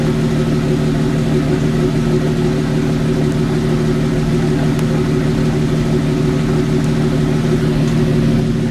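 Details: Jeep YJ with the wheel in the air, in third gear at idle: a steady low drone with a faint rhythmic rumble from the freely spinning wheel points to a bad wheel bearing.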